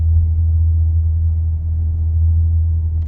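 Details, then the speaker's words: 2020 Honda Accord Hybrid cruising at 10 mph with the battery charging: a steady, deep droning rumble. The low-speed vibration has returned months after the dealer replaced a microphone; source not found. "i'm on 10 mile per hour as you can see you can hear it"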